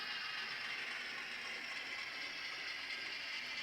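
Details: Broadway Limited Imports N-scale SW7 locomotive, pushing coupled cars backwards with couplers bouncing; continuous high-pitched gritty whirring with a rattly mechanical edge; gears sound like they are grinding.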